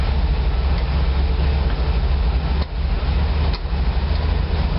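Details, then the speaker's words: 1986 GMC Blue Bird gasoline bus, first start in four months with a freshly rebuilt carb, 100°F outside: deep idle rumble sagging twice as if about to stall; it only keeps running with the choke pulled. "all right one of you Geniuses out there figure this out for me it's 100° outside and I got to pull the choke out to keep it"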